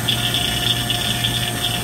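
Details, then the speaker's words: Vacuum pump pulling down an AC circuit after leak repair and recharge prep; steady pump drone with a strong airy hiss as air is deliberately introduced, quieting as vacuum deepens: air leak into system under vacuum. "so if you listen closely you can hear the sound it's making and when we introduce some air into it like this"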